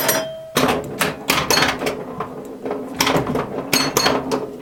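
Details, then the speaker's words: Restored 1977 Williams Hot Tip, Williams' first solid-state pinball: irregular sharp coil clacks, ringing bell chimes and score clicking through play; owner thought a chime note was off-tune; normal operation. "Alright, here we go. Listen carefully to the chimes, the startup melody. I think the second to last note was off."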